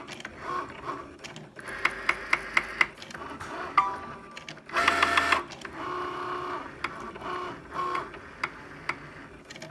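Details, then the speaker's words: New Cricut Maker cutting a card: quiet motor hum with a quick run of sharp, evenly spaced ticks, about five a second, then scattered clicks as the carriage moves back and forth; an abnormal knock, cause unclear. "My machine is making a loud knocking noise. You'll hear it in just a moment when this device moves back and forth. That's the noise."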